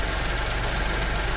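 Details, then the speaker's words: Skoda Fabia with overheating complaint; engine held at raised revs to heat it, automatic radiator fan switches on with steady airy rush; fan operating normally and later cuts off automatically after cooling. "ये हमारा automatic fan चालू हो चुका है देख सकते हैं हमारा ऑटोमेटिक सेन चालू हो चुका है"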